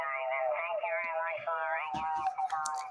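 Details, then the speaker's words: Amateur SSB transmitter heard on a local receiver: thin band-limited signal with a wavering spurious whine, clicks and crackle. Distorted signal wasting power on the whining tone; poor transmitter. "that transmitter is spending power to produce that spurious winding tone that is not being recovered is useful modulation by the receiver it's garbage"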